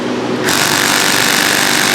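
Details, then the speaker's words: Impact driver set very low, hammering rusted roof screws on a 33 ft Georgetown RV during a roof replacement; fast, even rattling blows send vibration down to shake the rust off the screws. "And you hear it? It's sending a vibration all the way down. Now we're going to go up again. Click it one more time up. What we're trying to do is shake the rust off those screws."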